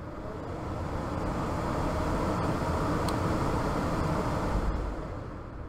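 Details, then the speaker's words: Furnace ECM 3.0 variable-speed blower motor in squirrel cage, tested with TecMate Pro, furnace on: steady even rush of air, smooth motor drone holding speed; blower motor spins up and runs normally. "in a technic Pro you can go ahead and turn this on and hopefully you'll hear this blower motor turn on"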